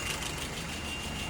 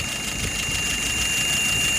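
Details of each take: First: Engine after repair, idling at 700 rpm, vacuum 23, fuel pressure 2.6–2.7: low even idle, steady hum, no knocks or misses; sounds settled and healthy. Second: Engine just started after repair, dry inside: thin steady high whistle over the even idle right after start-up; it goes away after a while.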